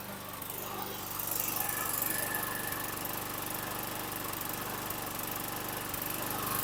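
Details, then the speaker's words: 2011 Troy-Bilt 21" self-propelled mower, 725EX engine, after carburetor cleaning, new bowl gasket and tank cleaning: starts easily but idles slightly unevenly with the odd stumble and burping; mild miss, possibly carbon on the valves (suspected). "so it's started relatively easy and it sounds good there's a little bit of uh rough idle but it's nothing that I'm going to be worried about little bit of a Miss could be some Carbon on the valves little bit of burping going on"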